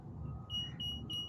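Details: Bobcat skid steer loader that won't start, key on in the cabin: three sharp high beeps about a third of a second apart over low hum, the warning alarm for stored codes M1605, M142, M207, M1502, M5306, including a shorted traction lock solenoid.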